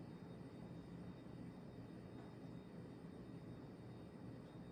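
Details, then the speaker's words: 1990s Encon Bouquet 48-inch ceiling fan on high speed: a quiet, even rush of air with no ticks, clicks or rubbing, just a subtle wobble; running normally. "but it really does run well on high it's just it's not too much it's not it's not too less it's just like a perfect high speed"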